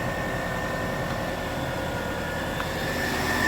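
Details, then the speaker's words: Engine running with headlights and A/C on, voltage dropped to about 13.83 V: a steady high-pitched whine over the engine hum that grows sharper as the electrical load rises. The alternator/charging circuit is suspected. "we have our headlights on we have our a/c on so we see a little bit of a voltage drop there already but boy oh boy oh boy is that bad boy screaming huh"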